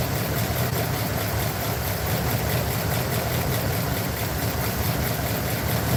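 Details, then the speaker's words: Truck with a rough, lumpy idle and an uneven low thump, checked with an inductive timing light. One side cylinder had a slower, laggy response and is the suspected culprit. Misfire at idle. "I'm not gonna physically pull the wires off but I am going to put my inductive timing light to it and see which ones are misfiring"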